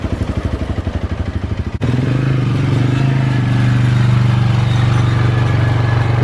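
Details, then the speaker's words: 2005 Polaris Predator 500 ATV after DIY carburetor clean, test run: even single-cylinder thump at idle, then smooth steady drone as revs rise and hold, no knocking or rattling; runs and performs well, normal running. "all right you guys we did a quick test run she sounds good she looks good well technically she ugly but you get what i'm saying but yeah she runs good she performs good"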